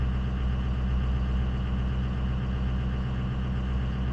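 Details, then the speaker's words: 2004 Ford F250 6.0 Powerstroke diesel during a bi-directional scanner engine-running test: a deep, steady drone holds at a raised, even speed with no misses or knocks as the commanded high idle engages, then returns to regular idle when the test exits. "So okay, engine's running, and you're gonna hear it change the sound of the engine and everything. There we go. Okay. It went into high idle."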